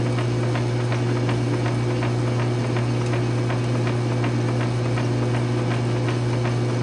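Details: South Bend 9" lathe fresh from change-gear to quick-change gearbox conversion with a 12L14 leadscrew extension, cutting a slow test thread: even motor hum, light regular gear ticking, no grinding or clatter; gearbox running normally.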